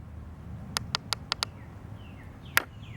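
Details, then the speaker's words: Gilmour watering timer being set up: five sharp evenly spaced clicks, then one more, as the valves keep opening and closing with no obvious reason. "you hear that clicking, clicking, clicking. That don't make any sense."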